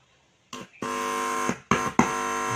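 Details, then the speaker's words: Active speaker amplifier with self-popping/crackling fault, driver stage tested: silent when plugged in, touching the input brings a steady buzzing hum in bursts that stops on release; driver section responds normally. "ini yang normal, speaker aktif yang normal itu seperti ini ya teman-teman. Jadi ditancepin dia tidak bunyi apa-apa. Lalu kalau dipegang input, nah dia berbunyi."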